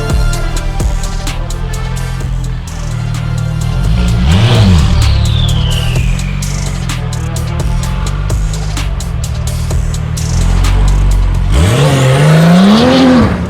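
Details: Porsche 991.2 911 Turbo S with newly installed custom headers and catless titanium exhaust, on a test drive: deep loud exhaust roar rising and falling with revs through pulls, clean and even, no rasp, music partly covers it. Healthy exhaust note under acceleration.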